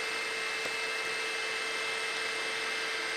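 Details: Mahor V4 pellet extruder on a Tronxy X5SA CoreXY 3D printer, initial test print; steady mid-pitched whir with faint constant whine, no knocks or grinding, printing smoothly.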